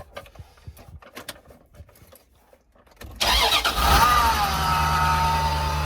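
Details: 1996 Dodge Ram 1500 van, 5.2 engine, after repairing no-spark, no-data-port and bad fuel pump: quiet three seconds, then cranks, catches promptly and settles into a steady even idle with no misses or knocks; normal start.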